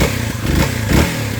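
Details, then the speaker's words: Kawasaki KLX 300 after fitting a KDX airbox upgrade: throaty single-cylinder bark with quick revs over a steady idle, deeper and throatier through the intake than before, with no rattle or miss; normal idle and revving. "But there's definitely sounds more throatier, you know. Sounds better."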